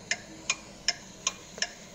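Crisp, even clicks about two and a half per second over a quiet background: a turn signal flasher working normally.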